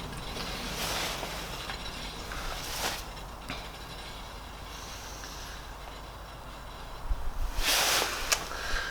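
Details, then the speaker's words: Renault Clio Mk3 jacked up, with the rear hub spun by hand: a rough, gritty rumble with a rhythmic scrape about three times a second confirms a badly worn rear wheel bearing, to be replaced along with the brake disc that has an integrated ABS ring and bearing. "that's kind of confirmed it the wheel bearing is absolutely not good so take the wheel off take the brake off and we should be done in no time"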